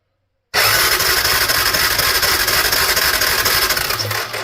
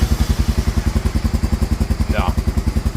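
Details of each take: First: Honda Fourtrax quad cranking with no spark: steady starter cranking about four turns a second, never fires; ignition coil boot was broken but spark still missing, so the CDI box is being swapped. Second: Honda Fourtrax quad reassembled after a no-spark diagnosis: an even, steady single-cylinder thump at about 2.5 beats per second with no misses or knocks; normal, healthy idle.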